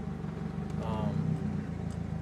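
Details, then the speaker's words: M42 four-cylinder turbo on MegaSquirt, original tune, near operating temperature (~180°): idle surges and sags, hunting a lot, air-fuel about 14.5 at best; rough hunting idle, also hard hot/cold starting. "so this is my pretty bad idle right now it's ly it's hunting a lot and uh my air fuel is about 05 145 at best"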